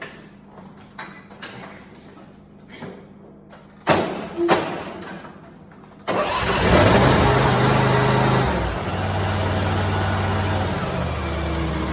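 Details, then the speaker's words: Simplicity Prestige mower, 27 hp Briggs & Stratton V-twin, after replacing backfiring Nikki carburetor with a China-made carb: a few starter bursts, then fires and settles into a steady, even idle with no hunting or stumble; normal idle. "Perfect idle. Everything looks good."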